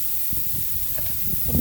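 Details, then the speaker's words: Tire with a nail in the tread being plugged: a steady high hiss of air escaping as the nail is pulled, confirming the puncture hole. "I heard the air come out a little bit, so I know I'm onto something here."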